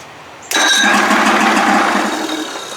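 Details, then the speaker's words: Evinrude 55 hp outboard starter, reassembled after it squealed, test-cranked with no fuel hooked up: it engages cleanly and spins the engine with a smooth, even whir and no squeal; the starter now sounds good. "bing bang boom all baby here we go starter sounds good"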